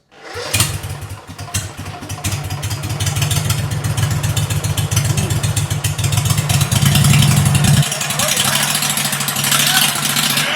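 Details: 2006 Mud Buddy HD Mini, 23 HP Briggs Vanguard, after fitting a Backwater Performance X-Flow Lite muffler: cranks, catches quickly, then a deep throaty exhaust rumble that swells with throttle and stays even; normal running.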